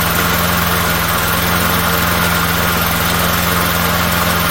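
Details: Small engine with primer bulb, just re-timed after its gear was reinstalled wrong during teardown: quick, even firing with a steady low thrum and no misses or knocks, smoking somewhat; normal running.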